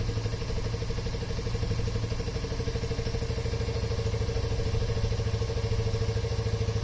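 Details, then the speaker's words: Yamaha Raptor 50 ATV after head removal and carbon cleaning of piston and head: small revs with a fast even putter dropping cleanly back to steady idle instead of hanging high; sounds healthy. "ah it's much better now she's not just continuing to go up so that's good all right she sounds good"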